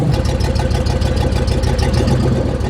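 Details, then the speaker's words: 1976 GMC Vandura 3500 motorhome warming up after work on the rotor button and distributor contacts and an oil change: deep, lumpy idle with occasional misfire-like stumbles. It still runs quite rough; cause not confirmed. "But if you have an ear for engines, you'll know that it's still running rough. Quite rough."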